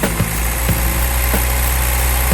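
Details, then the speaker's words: 1980 Toyota pickup 22R four-cylinder, freshly rebuilt with .040 oversize pistons, first start after rebuild: even, steady low rumble with no knocks or misses; runs well and responsive, though throttle not returning. "How about that, huh? Shit. Runs really good. Very responsive."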